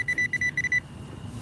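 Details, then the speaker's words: Metal detector at night: choppy mid-pitched tone bursts, about eight in under a second, then quiet; the low iron-range tone flagging a ferrous target, possibly a nail, hair clip or stainless jewelry. "Yeah, I used to skip these low tones, but uh I did find some some stuff."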